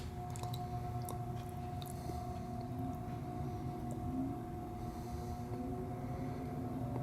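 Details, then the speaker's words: Cheap Chinese-made Samsung window air conditioner, a dumpster find, first power-up in fan mode. Low steady hum with a faint whine and barely any air rush; the fan runs very slowly with no excessive current draw. Weak fan motor from a failed run capacitor. "okay we got definitely got a weak fan that's for sure like cat urine okay well our fan is running but it's very slow"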